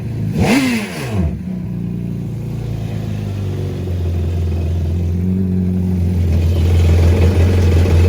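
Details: 2011 Yamaha VXR revved out of the water with DIY filter-breather intake and DIY elbow exhaust (90 then 45 degrees), leak just fixed: deep, even exhaust note climbing and holding, no puffing or ticking; normal revving.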